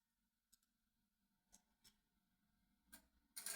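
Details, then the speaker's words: Countax ride-on tractor ignition circuit: faint irregular light clicks about once a second, then a short rattle; traced to a faulty fuse holder, which already holds one melted fuse. "Something's playing clicky clicky in the old ignition there."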